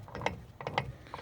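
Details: OMC Cobra/Volvo Penta SX outdrive in reverse, driveshaft twisted by hand: quick bursts of ratchet clicking with no drive taking up. This indicates a failed reverse gear.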